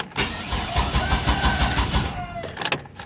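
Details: 2000 Chevy Astro van, no check engine light, fuses, relays and distributor cap checked: steady chugging crank about three beats a second that never catches; crank no start, owner suspects camshaft sensor and corroded exposed connector wires; new sensor later started it.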